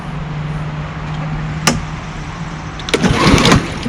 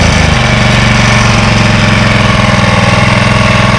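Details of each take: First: Walk-behind lawnmower from the 2025 startups: steady low drone swelling and sagging unevenly; surging because the broken choke lever lets the loose choke vibrate itself back, otherwise runs fine. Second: 1985 Honda HR214 mower, first start since 2022: steady, even single-cylinder putter at idle with no misses or knocks, slight idle hunting possibly from sitting so long; normal idle.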